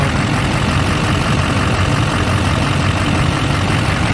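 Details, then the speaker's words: 2004 Chevrolet Silverado 2500HD 6.6 Duramax, lost prime from leaking tank-to-engine suction line, after new 1/2" fuel hose and 15 minutes running: deep steady diesel idle, even rhythm, no air bubbles in return line; running healthy. "after about 15 minutes of running you can see there's no air bubbles in the return line"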